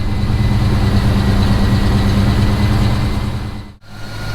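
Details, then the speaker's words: Fox-body Mustang V8 with Magnaflow exhaust, started after sitting for months with a weak battery: after a rough start it settles into a deep, steady, even burble at idle; normal idle. "of a rough start but as you see she is running still sounds good with those magnaflow's"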